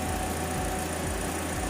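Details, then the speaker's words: Toyota Rush at idle with the AC on and the auxiliary fan running, after a throttle body cleaning and a fitted high-flow filter: steady low engine hum with an even idle and a constant fan whoosh. It holds the AC load without hunting; healthy. "so that's engine noise or engine sound engine behavior with ac on narayan auxiliary fan"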